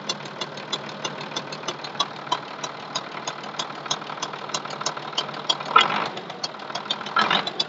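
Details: MTZ-1221 (Belarus) tractor diesel at idle with a sharp irregular tapping about every second or two from the cylinder head; knock remained after the injector was replaced and repaired, cause unknown, owner told to keep working it.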